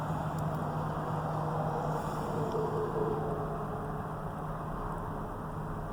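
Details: 1997 Ford Powerstroke diesel after cold start at about 20°F in snow, unstarted a couple of weeks: steady but slightly uneven low clattery rumble with faint lumpiness; grouchy cold start, no clear fault.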